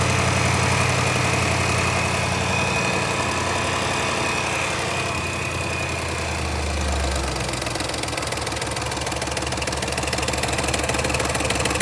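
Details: Land Rover Range Rover L405 5.0 supercharged V8 idling with a busy metallic rattle and ticking on top: timing chain noise from a failed tensioner.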